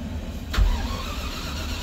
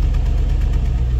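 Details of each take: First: Land Rover Discovery V8: starter grinds on a long first crank before the engine surges and settles into steady idle; it always starts hard first time but instantly on a second try, owner suspects fuel pressure loss or needs a check valve. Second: Land Rover Discovery V8, cold start around freezing: smooth, even low rumble at steady idle with no ticks or knocks, no smoke; healthy when cold, though owner says it knocks on a cylinder once warm, suspects worn piston.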